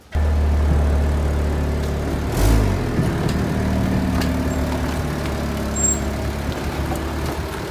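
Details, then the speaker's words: 1999 Saturn SL2, warmed up after a coolant temperature sensor replacement, driving by: low, uneven, lawn-mower-like chugging, running rough; owner suspects the spark plugs, which are then replaced. "by it kind of sounds like a lawn mower or at least it sounds like it's chugging quite a bit"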